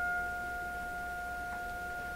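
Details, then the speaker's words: Florida AM/FM/SW tube radio on the bench, fed a test tone while running on low voltage: a steady, pure mid-pitched tone with a faint octave above. Turning the input level up only made it louder, no rasp, so the audio stage is clean. "and we'll change the input level up and down so it looks like I'm not overdriving the input because I turned this guy right up and it didn't really change the quality of the sound just got a little bit louder"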